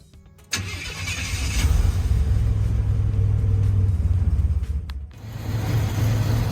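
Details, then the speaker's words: 1984–87 Buick Turbo engine after TPS and IAC reset: catches, then idles fast, bouncing between 825 and 925 rpm instead of settling near the 500 rpm target; idle too high and hunting, needs idle set screw adjustment. "Now, once you get it running like this, you want to set the RPMs for 500. Right now, I'm bouncing between 825 and 925."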